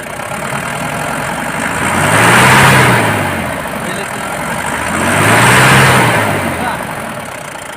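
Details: BS4 common-rail diesel idling steady with a soft, even clatter and gentle slow swell, no misfire or hunting; earlier cut-cut-cut sound blamed on rail pressure not building (codes P171A, P1B87), injectors checked fine.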